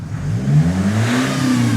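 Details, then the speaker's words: 2008 Nissan X-Trail 2.0 diesel, remapped with EGR and DPF delete, which misfired at 3000 rpm after a clutch job and had an intermittently dead turbo. Here the revs climb smoothly in one even sweep with no stumbles: clean rev without misfire. "i'm gonna put the engine on and um you can see it's not gonna miss firing right now"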